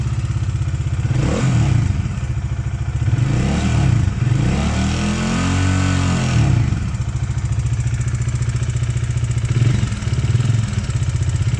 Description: este sonido es provocado por las guías de válvulas fisuradas a los 12mil km